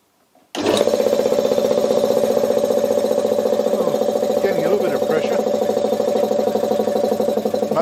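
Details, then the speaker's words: Briggs & Stratton lawnmower engine converted to an air compressor, belt-driven by an electric motor, first test: steady loud drone with rapid pumping beat, strained and sagging as pressure builds to about 30 psi (2 bar). Drive motor labouring near stall. "working hard with all that lot worked exactly as I'd hoped it would but the motor as you could hear it it was going to stall out but it still managed to build um what's that 30 PSI"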